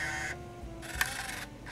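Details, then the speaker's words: Canon Vixia HV40 HDV camcorder, secondhand, unused for years, in cold fogging conditions: faint whirring mechanism in stop-start bursts with small click, showing remove-cassette error; loose pinch roller noticed, tape loading fault. "oh that didn't sound encouraging"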